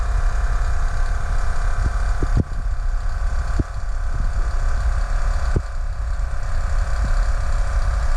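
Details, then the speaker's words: 2008 Chevrolet Trailblazer SS rear air suspension with brand-new Dorman compressor filling completely empty new air springs: steady buzzing motor drone with faint clicks, less smooth than expected but considered normal under load. "pump doesn't sound terribly healthy does it no it takes too much I guess that's how it's supposed to sound but I just thought it would be a little smoother but that's a brand new Dorman pump so that's the sound of it"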